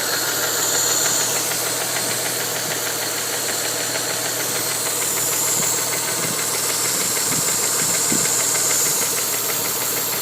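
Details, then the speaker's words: 1992 Mitsubishi 3000GT VR4, warm idle after 8-9 minutes: sharp, fairly regular tapping about three times a second; knocking seemingly from cylinder 6 near the oil filler cap, with black smoke; timing belt somewhat loose, oil leak; cause undetermined. "The knocking sound seems to have accompanied the smoke in the back."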